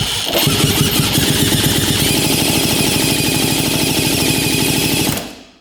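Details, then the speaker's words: Rare 1950s German scooter, throttle open during compression test: steady even kick-over chuffs, about three per second, no start; 110 psi compression, plenty to start. "Oh yeah. We're at 110 pounds of compression. So plenty to start this thing."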